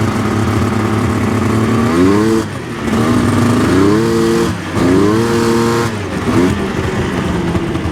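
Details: 1999 Yamaha Vmax 700 triple snowmobile: revs blip up and drop back unevenly, bogging on the low end, then seems on three cylinders but not 100%; one cylinder's plug white, lean, center cylinder to be rechecked.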